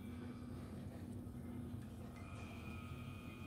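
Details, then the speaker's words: EcoTech MP40 aquarium wave pump, about four months old, droning with a loud buzzy hum on one setting while an identical unit runs silent; abnormally loud pump drive, unit going back for warranty repair. "i've got two of these and the other one is silent as anything and this one i've only been using for about four or five months maybe four months and the thing is just making some crap noise"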